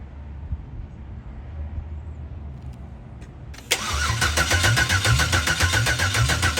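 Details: Turbo LS-swapped Fox body Mustang, first start after fitting new AN fuel lines, fuel filter and fuel pump, open exhaust: quiet, then cranks and catches into a loud, lumpy, fast-pulsing idle that runs steadily, no leaks; normal start and idle.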